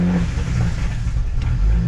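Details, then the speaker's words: Full-bolt-on BMW 335i N54 after a head replacement: rough, uneven rumble with sharp pops while revs are held, shutting off at 2000 rpm; backfiring and stalling because the machine shop fitted both cam sprockets incorrectly. "but if i slowly just try to hold the revs at a certain like rpm uh it'll start backfiring like crazy"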